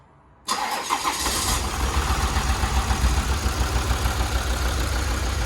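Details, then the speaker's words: Volvo V60 diesel, a non-runner, first start on a small battery: it cranks, catches and settles into an uneven, lumpy idle with a stumbling beat; it sounds like it's only running on four cylinders. Cause not confirmed. "sounds like it's only running on four to me it does run though"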